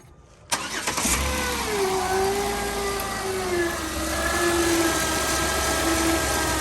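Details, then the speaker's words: 2008 Jeep Wrangler JKU at idle after starting: thin squeal that droops then steadies, from the belt area; battery light came on while turning, belt looked fine; owner suspects alternator, possibly water pump. "I'm guessing that if it's the battery light came on, that it's probably the alternator that's making that noise, because I hear it coming from over here, but also like, you know, right in this area here."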